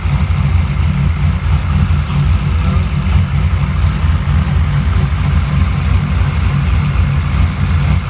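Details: Rough, low, heavy idle with uneven pulsing and slight lumpiness, no knock, after reverting to mechanical timing advance; owner suspects something pulling about 20 degrees of timing, forcing rotor set ~40 degrees back at TDC; retarded timing suspected, not confirmed.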